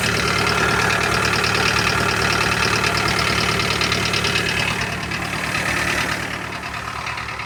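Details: Toyota Carina 1.8 four-cylinder idling with a sharp, regular knock a few times per second over the idle; internal engine knock, cause not pinned down.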